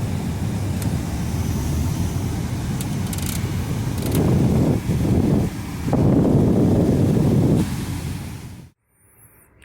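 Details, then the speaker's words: 2001 Mitsubishi Pajero Sport cabin blower, after motor removal and air box cleaning, reassembled, stepped through speeds 1–4: airflow rising louder with speed, no rubbing or flapping, then off; earlier loud noise resolved. "agora todo montadinho vamo testar a a 1ª 2ª 3ª 4ª velocidade os lados aqui na direção do vento"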